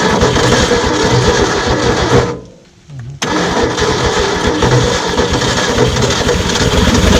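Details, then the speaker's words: 1967 Ford F100 parked 40 years, with about 67,000-76,000 original miles, on a zip-tied fuel pump with the carb primed: it runs rough with a loose, rapid knock, stalls and restarts. It later settles; it may have been dry or the flywheel, likely not internal. "let's see if it'll crank and run on its own oh that sounds terrible whatever that is there might be a reason he was going to pull the motor"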